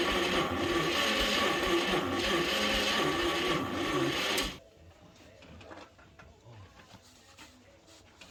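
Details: 1938 Chevrolet Master Deluxe, sitting since the 1970s, first revival attempt: a sluggish, even churn at about three turns a second for four seconds that never catches, a slow crank and no start; owners suspect low compression and a weak starter.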